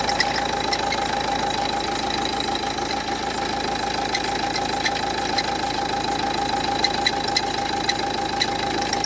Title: Strange noise Renault Duster 1,5dci, alternator pulley replacement.